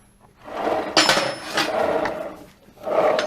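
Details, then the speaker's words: Dafra Citycom 300i scooter, rear wheel turned with transmission opened: rough grinding rasps rising and fading, wheel feels heavy; suspected worn transmission bearing, not confirmed. "barulho no na transmissão provavelmente esse rolamento"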